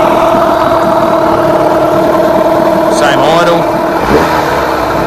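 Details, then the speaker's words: Rebuilt Yamaha 15hp outboard after fine-tuning ignition timing and carburettor idle mixture, cowl off: smooth, steady idle that drops straight back down and holds pitch with no misses or knocks; normal idle. "Yeah, I'm pretty happy with how that's running at the moment."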